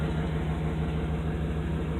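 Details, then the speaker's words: Engine idling right after new alternator install: steady, even low idle, smooth pulse, no whine, squeal or the old alternator's squawky bearing noise; charging about 14–15 volts, healthy. "Looks good, sounds good. No more bearing squeak. That old alternator was so old that it had squawky bearings, made noise, suggested it was unreliable."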